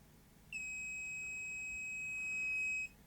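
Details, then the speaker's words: Grundig SVR4004 VCR: continuity test on a 10 µF 35 V tantalum capacitor gives an unbroken high beep over two seconds; the capacitor has gone short circuit across the supply rail. "okay well there's not much to it is there so it's quite likely isn't it that one of these talm capacitors has gone short circuit"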